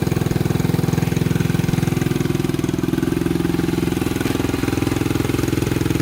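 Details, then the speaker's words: 1987 Honda 250X single finally started after new valves, new coil and roughly a thousand kicks, idle adjusted up: steady even thumping at slightly raised idle, no misses or knocks; normal smooth idle. "oh we got her oh man sounds good oh that took forever to get running good almost gave up on"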